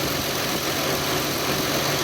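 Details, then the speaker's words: 1997 Lexus LX450 (FZJ80, Land Cruiser-based), 185k miles, idling in the engine bay with the Blue Hub fan clutch visible: the AC compressor kicks on, giving a smooth, constant idle with a faint steady compressor hum, no rattles, holding speed. Normal idle with the AC engaged. "Additionally, you can see the Blue Hub fan clutch, and maybe we'll get lucky here in a second and the AC compressor will kick on. There it goes."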